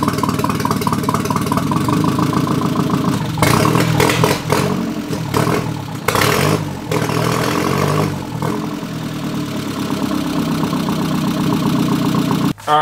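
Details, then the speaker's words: Nissan 240SX KA24E turbo build on MicroSquirt ECU, first start after new bearings, about 900 rpm idle: steady, even idle with smooth pulse, no knocks or misses; engine sounds healthy; TPS reading wrong, tune pending. "the engine sounds nice if you haven't seen this car I actually had the motor out I pulled all the bearings out and put new ones in so everything seems to be sounding okay"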